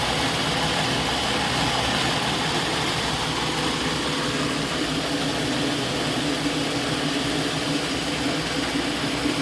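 Idling engine with a ragged, unsteady beat and hissy background, no clean rhythm; the idle is running rough, cause not clear.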